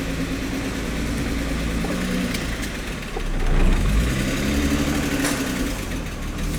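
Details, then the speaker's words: Turbocharged VR6-swapped Jetta at its first start after the charge piping was finished: a light, fairly quick tick about four a second at idle and through a short rev. Engine ticking; owner suspects the valve train. "thing's a very ticky motor sounds like it's definitely coming from the valve train but i don't know"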